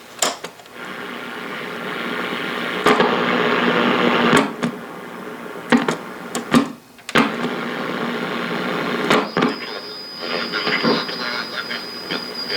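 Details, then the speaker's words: 1940 Philco 40-155 AM/SW tube radio: harsh buzzing static with short dropouts from a nearby garage door opener, gone when the opener is unplugged; owner also suspects a possible oscillator problem. "you can hear just how much noise that garage door opener causes up there where am i oh there we go if i just if i unplug it it'll go away"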